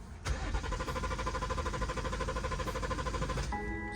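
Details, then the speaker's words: BMW 340i that died at idle; its fuel pump made no sound with ignition on. Starter churns steadily for about three seconds, never catching, then a chime. Owner concludes the fuel pump died: crank no-start. "I better stop before I cook the starter now. But, uh, yeah, the fuel pump died."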